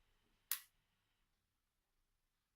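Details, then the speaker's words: EZ EFI 2.0 with a FAST distributor, a no-start being checked with a 2 Hz square-wave RPM signal and an MSD coil: two sharp isolated injector clicks with no spark snap; a lone injector firing erroneously, with no spark. "Et comme vous le voyez, on n'entend pas d'étincelle. On entend uniquement l'injecteur,"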